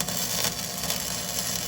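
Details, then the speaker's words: Flux-core welding by a first-time learner using small circular motions: even crackling sizzle like frying bacon, no pops or stutters, a normal steady arc at the right gap and setting. "Now see if you can make it sound like it's frying bacon. Go ahead. Start welding."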